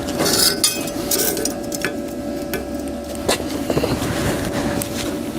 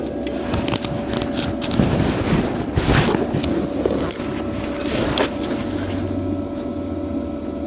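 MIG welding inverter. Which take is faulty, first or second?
first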